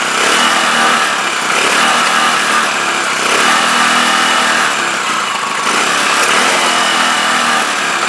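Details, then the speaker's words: CPI SUV125 scooter just after its carb was stripped, cleaned, rebuilt and reinstalled, with the fuel tank temporarily fitted, started outdoors with the choke held. The loud buzzy single-cylinder beat wanders unevenly. Still rough running, cause unknown; owner plans to adjust the carb settings. "a brand new card for this isn't a fortune but i would uh i'd prefer to get to the bottom of why it's playing off"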